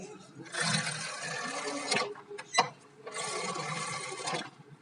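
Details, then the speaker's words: Splendor Plus with a wider rear tyre: the drum brake ticking was fixed with a Platina drum nut and by straightening the strip. Two free spins of the rear wheel give a smooth, even whirr with no tick; normal after repair. "देखिए अभी कोई भी टक की आवाज़ नहीं आ रही। एक बार दोबारा है ना भाई। ये देखिए अभी कोई भी टक की आवाज़ नहीं आ रही।"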